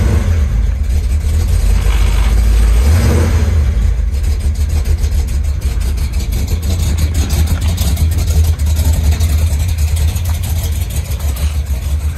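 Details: 1973 Chevy Nova V8 with Street Demon 750 carburetor replacing EFI, cold start after days sitting: low, uneven loping idle with an early rev blip, hard starting; owner says cold-start settings need adjusting.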